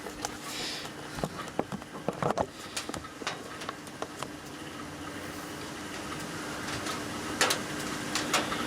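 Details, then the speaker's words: Australian Sangamo HMT 30 amp watthour meter under test: the disc spins evenly and accurately with a faint steady hum and light irregular ticking, but runs noisy; loose bearings suspected, not confirmed. "I think it's running smoothly and everything clear it's just noisy"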